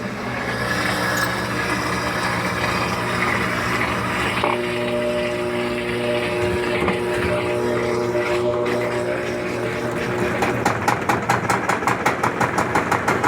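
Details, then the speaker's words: Washing machine LT13B during a suspension test: steady spin hum turns into fast regular thumping near the end of the cycle, about three knocks a second, drum banging; suspension suspected, not confirmed. "É muito chato esse barulho da suspensão. Muito chato. Tipo, a maioria das máquinas faz barulho."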